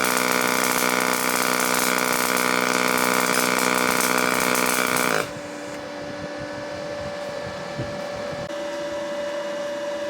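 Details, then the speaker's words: Firstess (Yeswelder) DP200 dual-voltage dual pulse MIG welder, pulse mode on, amperage and volts changing: steady, even buzzing arc with constant hum for about five seconds, then cuts off; clean, stable pulse weld bead. "So, we're in the pulse on and you can see the settings there and it's uh going to sound much different than a typical weld. And you'll see the settings change both in amperage and volts."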